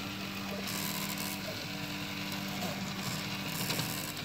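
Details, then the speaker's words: Prusa i3 MK2 3D printer during printing, noise started weeks ago and growing louder and more frequent: steady stepper hum with faint irregular dry scratching and creaking; source unknown, possibly extruder. "as you can hear it's kind of a scratching sound almost almost sounds like a creaking or I don't know"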